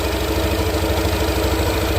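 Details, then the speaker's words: Yamaha scooter at steady low idle after its fake CVT parts (uncoded backplate, chewed slider pieces) were replaced with original Yamaha parts and cleaned; the CVT belt drive is smooth, with no noise or rattle. "Yan na mga bok. Wala nang ingay. Wala nang kalampag."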